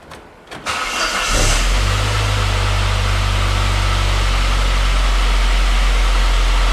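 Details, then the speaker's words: Saab 9-3 Turbo first start after a Liqui Moly 2037 engine flush and oil refill: it cranks, catches and idles with no rattle or tapping and the oil pressure light off. A faint constant power steering pump whine; CHF 11S fluid was then added. "I hear a power steering whine, but it's not rattling. Oil pressure light is not on."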